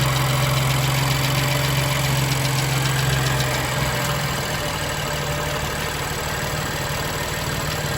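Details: BMW M2 Competition S55 engine at cold startup: fast even ticking, about three or four a second, over a steady cold idle; origin unknown.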